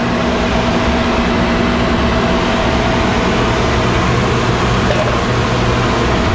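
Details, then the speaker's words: 1991 Snyder General dedicated-horizontal office furnace, burner lit, not much better: steady loud airy roar with faint constant hum, no speed change; blower motor thought too far gone, replacement recommended. "Okay, well, I'm going to recommend a blower motor, but it was a 1991 unit."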